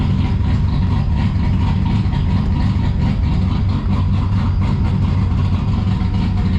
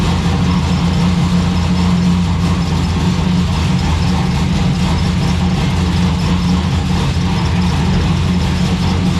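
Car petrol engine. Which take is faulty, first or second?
second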